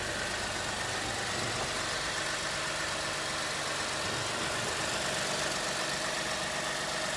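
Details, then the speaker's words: Lexus IS250 at idle after catalytic converter and exhaust replacement, before fully hot: even, steady idle with a soft hiss and no puffing or ticking; no exhaust leaks, and the oxygen sensor check engine light did not return. "you can hear the car's running then what i usually do before it gets hot is i just give a quick feel make sure that there's no uh exhaust leaks doesn't seem to be any at all"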